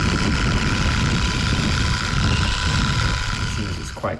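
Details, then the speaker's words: Sand Master 2.0 RC buggy after new pinion and spur, gear-mesh mods, a temporary GT2 motor and a grease-packed diff: steady high whine with gritty rattling from the gearbox; drives fine but noisy, cause unknown. "I honestly don't know it's a bit of a head scratcher I mean it drives fine it's just on a noisy side"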